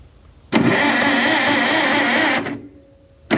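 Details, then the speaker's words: Narrow-front Farmall M tractor, previously stuck engine, head off, with new battery cables and a new starter switch fitted: starter spins the engine over quickly and evenly for about two seconds with no dragging or hesitation; now cranks freely. "So now it cranks over easy."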